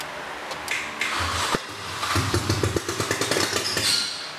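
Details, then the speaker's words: First-generation MINI, bought cheap and not running, with fuel pump relay jumped: start attempt gives rough irregular scraping and clattering knocks instead of a clean crank; sounds like seized internals, cause unknown. "ooh what was that that was that sounded like seized internals"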